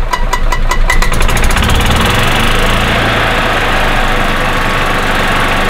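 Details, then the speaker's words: 2000 Club Car DS gas cart that shut off after about 10 minutes from a failing ignition coil (weak spark), now repaired and held at half throttle for 25 minutes: steady, smooth single-cylinder drone with no cutting out. Normal running. "But it does work. It runs good. It starts right up every time."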